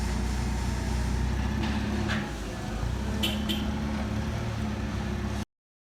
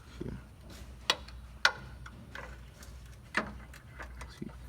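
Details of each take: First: 2015 Chevrolet Silverado with IHC 4/6 drop kit, after regreasing, realignment and rear shock replacement: steady low road rumble while moving, no clunks or knocks; front suspension now quiet. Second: 2015 Chevrolet Silverado with 4/6 IHC suspension drop kit: a few sharp, irregular metallic clunks as the front lower control arm is levered by hand, from badly worn arm bushings causing typical IHC front clunking.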